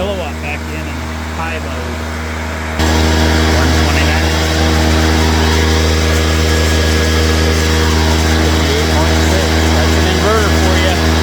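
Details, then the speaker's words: Honda EX350 inverter generator started after sitting a while, with some fuel in, reading 129 volts and 58.6 Hz, then switched to high output mode: a smooth drone that steps up and holds a flat, even pitch under load. It is running cleanly. "let me get my kilowatt all right we got it plugged in 129 volts 58.6 Hertz all right now high output mode I'm gonna scream now ready"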